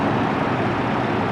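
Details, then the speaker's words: 2007 Chevy Colorado i5 engine running after serpentine belt replacement: steady, even drone with no squeak or chatter from the belt drive; quiet, healthy belt operation. "do you hear how nice and quiet that is it started right up no tweaks no chatter on the belt"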